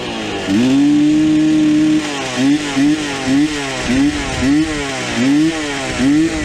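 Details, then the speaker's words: 1986 Suzuki LT250R two-stroke revived after years of storage, oil coming from the pipe; revs in short blips falling back unevenly, idle sagging, then dies; owner suspects fouled wrong spark plug, possibly melted wire or loose keyway. "So, did we melt the wire or did the keyway come loose? Cuz this didn't shut off. She died on me. Or did I foul the plug?"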